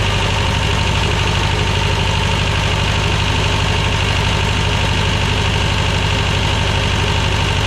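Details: 1985 Belarus 250AS diesel tractor, revived after sitting 8–10 years, after trying a fix: steady even clatter at constant idle, no misses or knocks; running smoothly.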